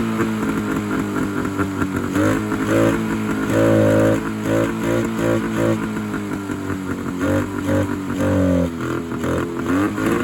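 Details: 1971 Polaris Charger 398 two-stroke snowmobile, sitting for years, barks into life on mixed gas squirted through the air horns, chokes working; revs up and down unevenly, crisp and raspy with no knocking, a fresh start after long storage.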